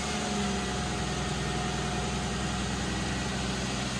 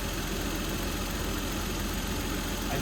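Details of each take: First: 1992 Toyota Supra MK3 turbo, automatic, about 300K, after sitting over 20 years, started after priming and fixing leaky hoses. Steady, even, smooth low idle with no miss or tick and no leaks seen; normal idle. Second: 1992 Toyota Supra MK3 turbo, automatic, about 300K, revived after sitting over 20 years. The idle beat wavers and stumbles; rough idle. Owner suspects low fuel, since the tank had been empty and only a little was added.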